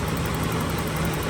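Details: 1985 BMW 325e E30 parked four years, started after replacing both fuel pumps, fuel filter, crank position and speed sensors, plugs, distributor and rotor and fixing swapped connectors; low steady even idle, no knocks or misses.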